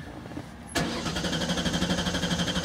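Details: 2000 Ford Taurus with electronic returnless fuel system (no pressure regulator, pump speed set by fuel pump driver module); starter clicks then steady churning crank that never catches, crank no start; driver module signals check good, fuel pump is bad.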